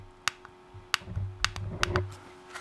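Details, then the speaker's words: M&S Systems Model N350 1980s music intercom master station, with a new tactile switch replacing a failed flattened bubble switch; a few crisp, firm clicks about half a second to a second apart as the button is pressed. The new switch actuates properly. "so there's our button on our new switch you can hear it click"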